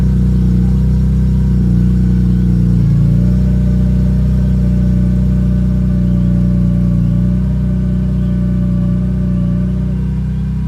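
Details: BMW E46 M3, engine running with clutch pedal up (engaged): steady engine note with a thin constant whine over it that appears when the clutch is engaged; source not identified.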